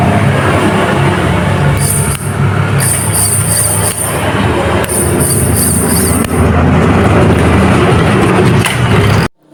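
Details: Continuous steady spin with a light, intermittent high whine and no grinding as a Honda Karisma motorcycle starter motor, reassembled with its O-ring, is bench-tested on battery or adapter before refitting; normal operation.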